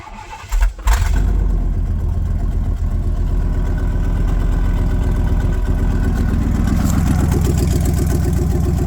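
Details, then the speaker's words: Old V8 truck started with one catalytic converter cut out of the exhaust, awaiting headers, X-pipe and high-flow cats: cranks, catches and settles into a deep, loud, lopey rumble with open burble. "at it sounds like with just one catalytic converter cut off. I think it's gonna sound stupid, but I still think I want to start it just to see what it sounds like because it'd be funny."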